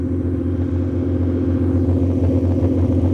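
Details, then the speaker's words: 1989 BMW 535i E34, M30B35 straight-six, after replacing faulty spark plugs, exhaust cut off before cats: steady idle around 800 rpm, up from about 400, even pulses with loud open-exhaust rumble, no misfire. "we're idling at like 800 RPMs again which is what what it should be before it was at like 400 and it's running smooth"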